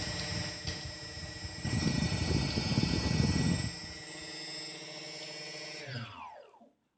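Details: F450 quadcopter with DJI 2212/920kv motors: motor whine with an irregular low thumping that swells mid-run, then spins down; knocking from the motors, cause unknown.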